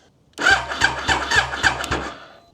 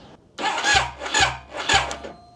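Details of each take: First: Triumph Daytona 955i project bike, starter wired directly to the battery after weak cranking through the cable, gives two bursts of brisk, even cranking with a quick regular chug; spins strongly with no dragging. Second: Project Triumph Daytona 955i bought as a non-runner, crank attempt: three short, labored starter bursts that drag and stop. Still slow after battery work, and it cranked much better once the starter was wired directly to the battery, pointing to cable resistance.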